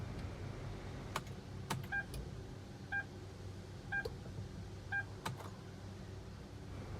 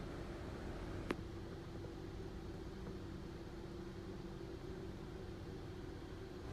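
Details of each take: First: Hyundai Tucson push-start, in P with the brake pressed, immobilizer light on the dash, jump-start already failed: only chimes and a few clicks, no cranking. Starter motor silent, no crank. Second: Hyundai Tucson (push-start) idling steadily after a new starter motor was fitted to cure a no-start with a warning light on the dash; even low hum, no knocks, misses or squeals, and no dash warnings now.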